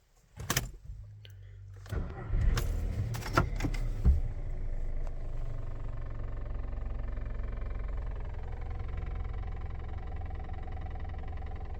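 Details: VW Golf 6 (Mk6) at idle: low, uneven buzzing rattle heard inside the cabin, from loose fuel pipes under the car vibrating against the chassis; fixed with foam tape and a zip tie.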